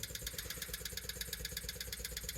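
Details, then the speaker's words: 1974 Rolls-Royce Silver Shadow with carburetors, not starting: electric fuel pump ticking quickly and steadily, never winding down as it should once the carburetors fill, sucking air; a huge fuel leak found at the front. "fuel pump is making noise presumably that noise will change once fuel gets to it oh yeah it's supposed to wind down when uh when the carburetors are full"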